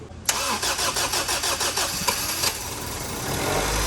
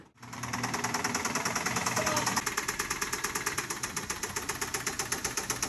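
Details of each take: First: Honda Civic after swapping in a replacement stock engine (old one had rod knock in cylinder 2), new battery, third start attempt: several cranking pulses then catches into a steady, even idle; clean start. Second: Honda Civic with a very dead battery, barely started after three tries with help from a Fit held at higher rpm, awaiting an engine swap: sharp, rapid metallic knocking at about nine raps a second over a weak, struggling idle. Rod knock in cylinder 2.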